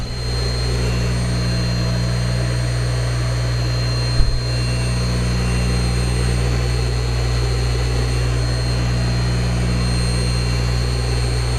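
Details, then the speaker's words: Old Speedaire air compressor electric motor after bearing replacement, spun up with the belt off: steady, even hum at constant pitch with no rumble, growl or bearing ticking, running smooth and healthy. "whoo-hoo sounds good to me all right everything's been put back together looks like it's gonna work just fine"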